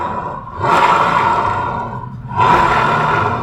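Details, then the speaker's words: Honda Beat FI V2 scooter after the worn crankcase bearing was replaced: two smooth throttle blips, note rising and falling cleanly with no knocking or rumble; bottom end normal, the earlier noise is gone. "Yun, iti-test drive naman natin. Yan, tingnan niya mga paps, wala siyang tunog."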